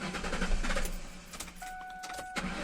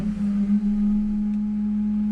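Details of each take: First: Ford Mustang, about 2000, 4.6 engine, after repair of a strange hum at the air filter duct and refitting the valve; starter cranks briefly, engine catches and settles to a smooth even idle with no hum; healthy. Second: Ford Mustang 2000 (possibly 2001), 4.6 engine at idle: loud steady horn-like hum from the air filter duct that changes when the valve is tapped; the valve is suspected, not confirmed.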